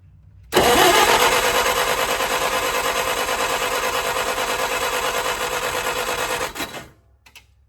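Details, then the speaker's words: 1964 Clark Clipper forklift, old petrol engine, after refuelling: rapid clicky clatter around three beats a second while cranking and catching as the fuel pump struggles; weak fuel pump. "All right, I think our fuel pump's dead. All right, we have got the fuel pump that is now pumping. Just threw that clicky clack. So, we got a weak fuel pump."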